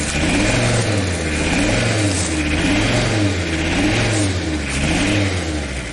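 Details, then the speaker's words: Audi diesel running after at least 12 years standing, timing advanced, air bled, rotten leaking fuel pipe: rough, slightly uneven clatter rising and falling with throttle blips; heavy exhaust smoke, shut off to avoid overheating. "Listen to how it works It smokes a lot. Let's turn it off so it doesn't get hot."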